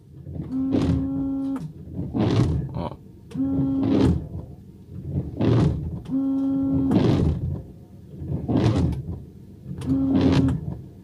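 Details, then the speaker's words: Car windshield wipers running on the glass: loud judder on every sweep about every 1.5 s, mainly from one blade; worn wiper blade chatter. "barulho que até meu filho pequenininho eu tenho medo de dois anos agora nós nos assustamos"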